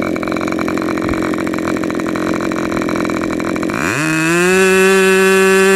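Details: Rebuilt K&B 40 #4011 model engine (new bearings, ring, gaskets), 10% nitro fuel with 4% castor, 10x6 prop; rough uneven idle around 2,500 rpm, then throttle opens and climbs smoothly to a clean steady scream near 12,800 rpm peak; running well.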